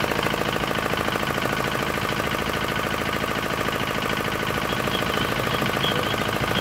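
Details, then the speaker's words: D10 R190 single-cylinder diesel at idle, brought in for hard starting and a horn-like chirping noise behind the rear cover; two bolts on top tightened, now starts easily. Even, crisp putter, steady firing, no knocks or missed beats. "Thế bây giờ làm Máy nổ rất là dễ và rất là là giòn kiểu như các bạn"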